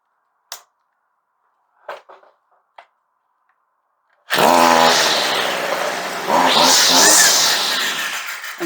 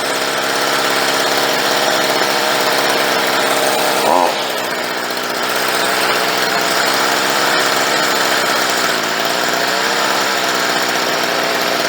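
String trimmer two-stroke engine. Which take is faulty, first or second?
second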